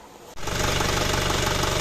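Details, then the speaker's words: Isuzu Panther Kapsul diesel, rough after two engine rebuilds in a month, after refitting large centre connecting gear and testing with own injection pump; even steady idle, ticking noise gone. Normal idle. "setelah dipasang pakai bospom saya Om suaranya halus fix dari bospom walaupun mesin ginjal ginjal tapi untuk suara ketek-keteknya nggak ada"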